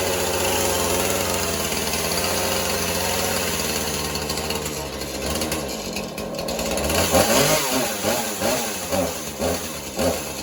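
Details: Husqvarna 435 chainsaw, likely mixed fuel, good compression, purge bulb replaced: buzzy two-stroke holds steady then hunts and surges irregularly; poor running, carburetor needs servicing.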